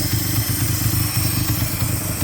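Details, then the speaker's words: Mitsubishi 4G63 at operating temperature, with new intake manifold gasket, head gasket and valves: lumpy low idle throb with a steady thin hiss, idle wants to drop; suspected large vacuum leak, source not found. "It's finally idling. But there's a huge vacuum leak somewhere."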